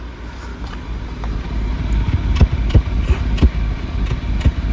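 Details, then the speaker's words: Maruti car idling after replacing a faulty part, fixing a misfire: low steady exhaust rumble with the earlier chuffing, vibration and unburnt-fuel smell gone; engine smooth, also when revved. "यहां जो छू छू छूछू हो रहा था वह खत्म हो गया। मैं एक्सेलरेटर ले भी दिखाता हूं आपको। बिल्कुल स्मूथ इंजन हो गया।"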